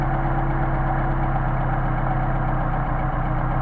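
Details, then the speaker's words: Mercedes 190SL with machined Solex carburetors, tested at 29°F: idle mixture screw set off its best point, so the low idle turns uneven and lumpy, sagging and starting to stumble. "Starting to back off. I mean, starting to idle drop off a little bit,"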